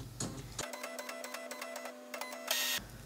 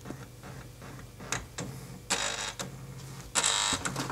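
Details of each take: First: HP LaserJet M2727nf multifunction copier with scanner error 5, at power-on: steady low scanner motor hum with light regular ticking for about two seconds, then a short whir; it calibrates normally without the skipping sound. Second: HP LaserJet M2727nf copier showing scanner error 5. The scanner carriage moves in harsh buzzing bursts and forces partway along its travel, not only at the end stop. The owner suspects the scanner motor; the gears seem fine.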